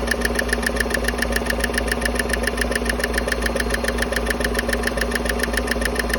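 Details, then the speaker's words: 2015 Chevy Silverado 5.3 V8 at idle, rocker cover off, passenger side: sharp, even tick about three and a half per second from cylinder 4/6 DOD lifter area; bad roller rocker needle bearing suspected. "Y'all can feel what I'm feeling there. It's definitely that one. Those things ain't oil in the string mount."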